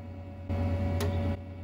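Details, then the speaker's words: 1999 Compaq Presario 5441 mini desktop with nothing connected to the modem: a brief low hum with a single sharp click as the modem relay engages to dial; normal. "and even interestingly enough you can hear the modem clicking into action it's kind of interesting"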